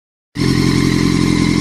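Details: 2006 Honda CBR1000RR running with a steady high whine over the exhaust that grows louder with revs; bike felt held back, hard to shift and hard to move in gear even with clutch held, rolls freely in neutral; cause unknown.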